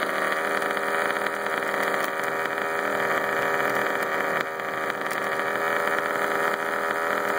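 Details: Baja 5T RC two-stroke engine, after running wide open briefly; high buzzy revving with a dry tinny rattle riding on top: engine rattle, cause not yet pinned down.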